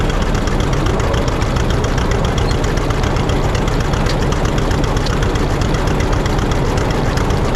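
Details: 1950 John Deere D, reassembled after fixing a corroded exhaust valve and a blown head gasket: heavy rapid two-cylinder thumping, steady and strong; revs up too fast at a throttle touch, owner suspects the governor.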